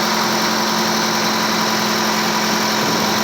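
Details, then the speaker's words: 1985 Cadillac Cimarron, all-original, 43,000 miles, base 2.0L four-cylinder, idling down as it warms: steady, even hum with no knocks, misses or rough patches. Owner says it runs perfect but noticed a tube has come off. Normal idle. "runs great all original idle down let it do its thing"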